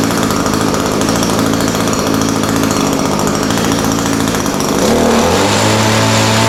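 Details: Echo SRM-210 straight-shaft line trimmer after repair kit (new carburetor, primer bulb, fuel lines, air filter), started on half choke, slight carb adjustment: steady high two-stroke buzz at even revs, dipping slightly as throttle eases at the end; normal running.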